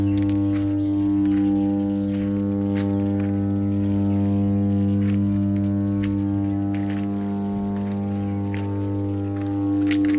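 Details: Steady, even low hum with a constant buzzing pitch that never wavers; a healthy power transformer humming in normal service.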